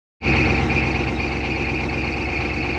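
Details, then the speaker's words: Chevy G20 diesel van right after start: steady high squeal over the idle from the fan belt slipping as the alternator works hard to recharge the batteries. "it sounds like a fan belt which it is what matt said it was was the alternator cinching the engine together to try and get the batteries to re-uh recharge right after it starts"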